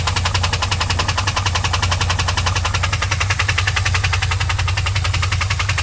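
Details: 2001 WS6 LS1 5.7L V8 idling with a fast steady metallic tick, which appeared after the engine ran out of oil and was refilled; it earlier ticked at high RPM and oil pressure dropped from 30 to 0 when shifting.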